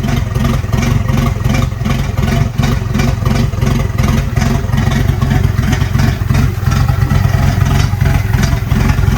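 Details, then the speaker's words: Long-stored red Volvo 240 turbo just started after getting fuel pressure: engine blipped repeatedly, about three pulses a second, rough uneven beat with some clatter; runs but not cleanly, owner thinks it seems a little rich. "Seems a little rich."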